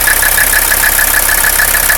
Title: 300CD engine noise and rough idle